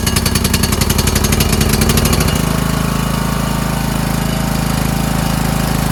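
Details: Toro Wheelhorse 1438HXL with repowered 17.5 hp engine, after mower deck belt and pulley replacement, deck engaged: steady small-engine thrum, deck spins up into smooth drone, no slipping or squeal; everything works. Normal running with deck engaged.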